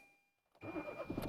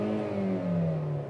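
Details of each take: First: Petrol engine with four ignition coils, the fourth coil deliberately disconnected: it cranks, catches and runs lumpy and knocking on one dead cylinder, worse on throttle; the check engine light later flashes. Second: Engine at 56 °C coolant temperature, read via OBD-II ELM327 with Torque Pro, throttle pressed: pitch climbs smoothly as the throttle body opens, steady and even with no misses; healthy rev.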